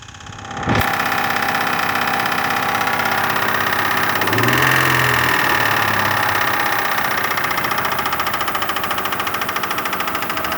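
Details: Kia Sorento engine starting then idling steadily with a light, fairly regular knock over the engine note; suspected piston pin knock, not confirmed.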